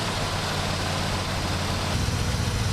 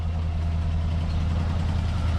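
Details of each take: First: 1967 Buick GS340 at cold start: a low, uneven, lumpy idle. The owner says the engine is unhappy with its ignition system, and faulty ignition points were later found and replaced. The remanufactured carburetor's idle circuit was also not flowing correctly. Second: 1967 Buick GS340 after the water pump and points replacement and a cooling flush: a deep, smooth, even idle rumble with no ticks or stumbles. It is smoking less than before; normal idle.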